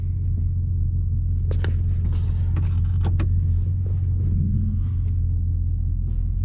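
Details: 2002-2005 Dodge Ram 1500 on a test drive after front wheel hub replacement, recorded in the cab: steady low road rumble with no growl or hum rising with speed; the new hubs give a quiet ride.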